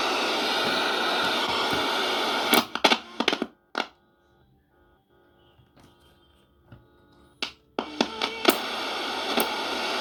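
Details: Previously dead radio after repair, on mains power: steady hiss and tuning crackles as the dial sweeps the bands, then clear broadcast tones come through; the receiver is working properly.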